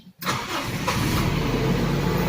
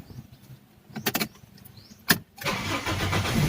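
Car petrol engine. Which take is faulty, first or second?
second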